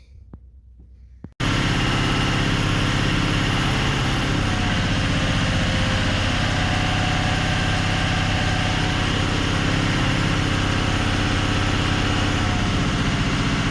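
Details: 2004 Ford 6.0L Powerstroke diesel, earlier crank-no-start and lost injector bank, after repairing and splicing damaged wiring: catches after a second and settles into a smooth even idle, no stumble; symptoms gone.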